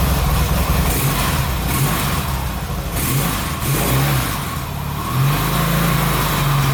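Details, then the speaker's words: Yamaha XS650 1970s twin that sat for 10 years, being revived: pulls smoothly through several blips and settles back, no knocks or misses; battery reads about 12.87 V rising to 14 V when revved, so charging circuit works. "12.87 14 but when you rev it it works so that's not too bad charging circuit's working"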